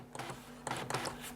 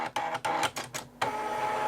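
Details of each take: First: Amstrad DMP3000 dot-matrix printer (with the PC1512), paper loaded, line feed: short clean bursts of mechanical whirring as the paper steps, with no grinding. The feed mechanism works normally. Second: Amstrad DMP3000 dot-matrix printer in button-combination self-test: carriage sweeps and paper-feed whirrs in bursts, but no pin chatter is heard. A print head problem is suspected.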